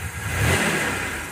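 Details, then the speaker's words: 1990 Mitsubishi Montero revved: revs climb sluggishly with a flat, bogging note, hesitating under throttle; ramps fine with TPS disconnected, black smoke shows it running rich, over-fuelled. Spark flashes inconsistently on plug one. Cause unconfirmed. "If I disconnect TPS, ramps fine. But look at the black smoke billowing out of this thing. It is like Batmobile. So, I don't know. Clearly, it's getting more fuel than it needs and I don't have enough sp."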